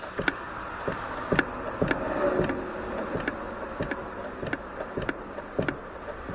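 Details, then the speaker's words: Motorcycle carburetors after adjusting throttle cable adjuster barrels: each throttle snap closes with one crisp clack instead of a double clack, over passing traffic; slides now close in sync. "it is the clack is there in unison you can hear there's just one clack if you can hear over the traffic going by"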